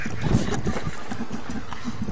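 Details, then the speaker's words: Geo car engine destroyed by gravel and rocks deliberately fed down the intake. It still runs, with lumpy, irregular low gurgling and popping like a percolator instead of an even idle; the internals are wrecked. "locked i must say that was a tough geo engine well now that she's all fried from rocks she's off to her doom"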